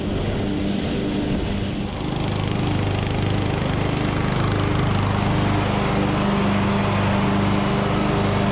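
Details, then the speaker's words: Revived Craftsman YT3000 riding mower, abandoned about 4–5 years, cutting long grass; even, steady engine drone settling to a constant pace after a brief rise, running cleanly under cutting load; judged a nice good-running mower. "all right well I think that we have a nice good running mower here"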